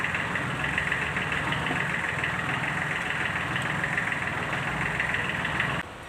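Diesel idling with a rough, uneven clatter and a steady high rattle on top; something's off inside, exact fault not pinned down. Cause suspected, not confirmed.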